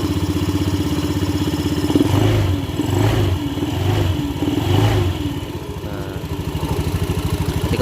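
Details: Honda Beat scooter idling, CVT side, with the worn pulley shaft bushing removed: steady low thrum, even firing, crackling noise from the belt drive gone; normal idle, pulley shaft to be replaced.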